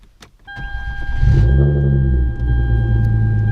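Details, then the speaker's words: Hyundai Genesis with Stage 2 Competition Clutch, lightweight single-mass flywheel replacing OEM dual-mass, heard from inside the car: quick cold start, revs flare then settle to a steady deep idle, no rattle, knock or chatter before warm-up; normal. "So, you know, sounds normal. You can hear the exhaust and everything. So the exhaust sounds pretty normal."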